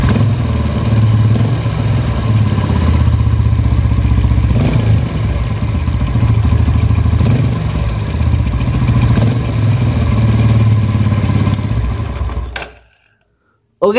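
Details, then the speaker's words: Yamaha Vega R New at idle and slight throttle: a loose metallic klak-klak rattle rides on the engine beat, loudest at the clutch side; the mechanic suspects the clutch housing. "ya jadi bunyinya itu klak klak klak klak klak klak klak klak klak laki-laki itu temen-temen apa penyebabnya dan masalahnya dimana oke ya kita analisa dulu menurut saya ini di bagian kopling"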